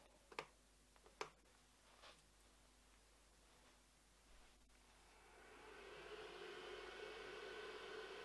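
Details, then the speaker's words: Cheap unbranded UC46 LED WiFi projector: a few clicks, then a loud, steady rushing whoosh with a faint hum as its cooling fans run; the fans are noisy. "you can hear the fans fairly loud and I'll just spin the camera so we can have a look at the picture"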